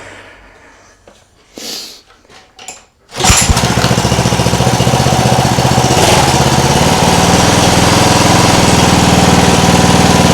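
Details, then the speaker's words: Homemade air-cooled outboard from a cheap lawn mower engine, after quitting earlier (maybe water): catches and settles into a steady, even putter about four beats a second, driving the propeller forward and reverse; runs cleanly. "there we go sounds nice forward reverse"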